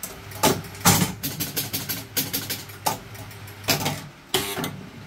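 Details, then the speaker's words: Gottlieb Spin A Card pinball machine during repair, starting a game: quick bursts of sharp mechanical clunks as the score reels step round and stop cleanly; normal, positive score reel reset with no hang-ups. "Okay, let's start a game. Watch the score rails reset."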